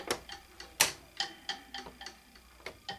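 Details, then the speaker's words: A plastic 1989 Brother ZX-30 electric typewriter that never worked for this owner: light, uneven ticking at about one to three a second with no motor run. The owner suspects the small motor under the cartridge has overheated and stalls on key press. "it doesn't do anything you can hear the sound that's a little motor just dying off inside here under the cartridge"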